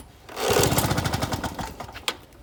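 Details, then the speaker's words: Victa mower rebuilt from two parts mowers, a two-stroke with very slow fuel flow: a quick burst of rapid firing that sputters and dies within two seconds; fuel starvation. "Oh what fuel going fuel flow is quite slow at mine"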